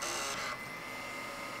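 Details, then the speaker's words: Xbox 360 Fat (Jasper motherboard) DVD drive after replacing the laser to cure the Open Tray error, powered on with no disc: short whirring spin-up easing to a quieter steady hum, no clicking or grinding; normal disc drive spin-up. "you can hear it sounds pretty normal for a light on disc drive in a fat w6t so everything boots up just fine"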